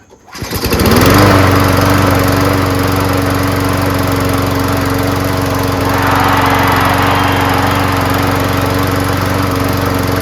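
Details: Craftsman self-propelled mower with a 6.5HP Briggs Quantum engine and a cleaned carburetor, primed and run to test the self-propulsion drive: fires within a second and settles into a steady, even drone with no misses or surging. Normal running.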